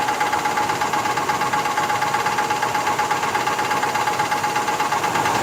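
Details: 1985 Cadillac Fleetwood Brougham engine with a steady, regular knock of about 167 per minute over the running engine, even at idle, with a light metallic ring; cause unknown.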